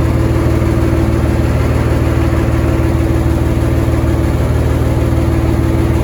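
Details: M35A2 truck with a multi-fuel Continental engine, started with a button: deep, steady diesel idle with even firing and no knocks or misses, so the idle is normal. An air leak hisses from the compressor line.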